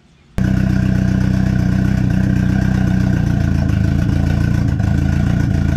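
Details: Freshly built, turbocharged KA engine with a Pulsar PTX 30 Series turbo, after nearly two years sitting, during fuel tuning; low, loud, pulsing idle with a slight early stumble that clears a little more each time.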